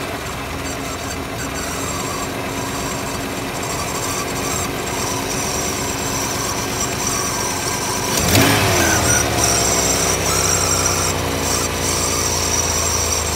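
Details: Mustang engine first start after sitting 10 or 15 years on old, bad-smelling gas; it fires right up and idles with a busy, uneven rattle, pinging from the stale fuel.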